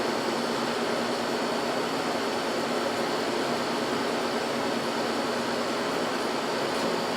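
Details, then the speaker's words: Scrap window AC unit that had lost its R-22, recharged with R-152A: even steady hum and airflow, no knocking; condenser coil reads about 110, cooling well, compressor sounds fine and not overheating. "so it's definitely cooling definitely putting heat out compressor sounds fine not ridiculously overheating or anything"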